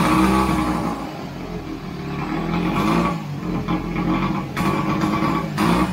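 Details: 1929 Scott Flying Squirrel two-stroke twin, first start after restoration: uneven surging beat as it's blipped, catching and pulling without knocks; running normally.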